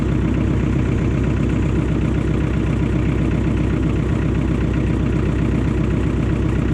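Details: John Deere 1010 crawler dozer, sitting about 12 years, running after fuel reached the injectors and injectors were bled: steady, even diesel idle with a low regular beat about four pulses a second, no knocks or misses; runs healthy.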